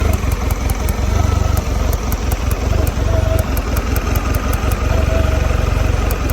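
Low outboard idle with uneven, stumbling pulses and a lumpy beat that never settles; a rough idle, cause unknown.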